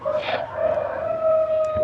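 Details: Maspion mini fan that only hums and won't spin: steady, fairly high motor hum at one pitch; shaft turns freely off but feels heavy when switched on.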